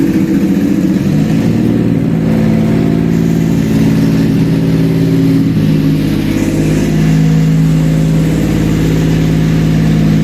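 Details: Toyota 1MZ V6 contract engine, first start on a test stand used for compression checks: runs evenly with a smooth steady hum, picking up and settling back through light revs, no knocks; healthy.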